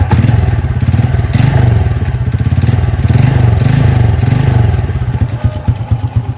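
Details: Honda XRM single-cylinder motorcycle, timing chain tensioner problem in focus: steady, even idle thump with no rattle from the chain side; engine sounds healthy.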